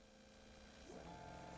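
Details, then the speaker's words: Electric fuel pump on a test bench with current ramping watched on a scope, pressure changed upward: steady electric whine that steps up in pitch as restriction rises and the pump speeds up, normal whine rising with load. "okay so this is at a slower speed and I think you could hear the hum in the background of the fuel pump right now"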